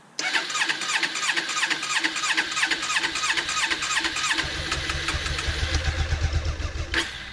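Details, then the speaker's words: Honda CB500 (499 cc) first start after six months of winter storage at about 10°C, half choke or a bit more: catches and runs ragged and uneven, then firms up with a deeper beat; cold hard start, needs full choke. "we need to build more of choke a little I'll use full choke against the winter"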